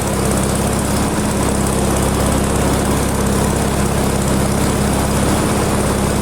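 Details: Ginge Classic lawn mower with Loncin single-cylinder engine, carb held on with nuts, adjustment screw almost fully out: uneven, slightly hunting chugging with a noisy rattle; owner suspects carb adjustment issue.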